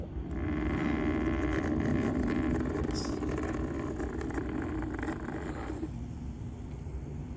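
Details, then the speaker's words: Noisy cooling fan from an aftermarket Android radio in a Toyota Sienna, bench-run on 12V battery after about six months' use: loud rough buzzing whir, then cutoff; fix is replacing it with a larger, quieter fan. "so that's a noise I got from from in uh when I sit in the car it's quite annoying the new one is a lot quieter and new one is a lot bigger so it's going to move the air a lot better than this one"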